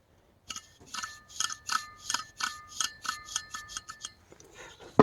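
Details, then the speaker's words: 20-year-old Oreck XL2800 vacuum motor before teardown: rhythmic scraping bursts, about three a second, with a thin metallic ring, so something is rubbing inside. The bearings were later found with grease dried into chunks. "not good something is rubbing somewhere don't know what that is"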